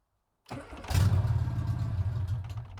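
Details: Classic Mini with freshly installed Metro 1275 A+ engine and manual gearbox, first start with choke and accelerator not yet connected: short crank, catches at once, oil pressure light goes out instantly, smooth even idle with no knocks or rattles.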